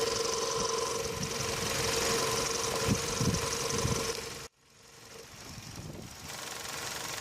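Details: Steady running engine heard through a selfie stick and knuckle to the phone mic: fast, fairly regular tapping at about four per second. The owner previously diagnosed the engine bay rattle as the radiator fan housing.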